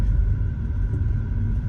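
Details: BMW N20 (F32 428i) driving at low rpm after fitting an upgraded timing chain tensioner torqued to 60 ft-lbs; a steady deep rumble, and the light chain tapping previously heard at low revs is gone.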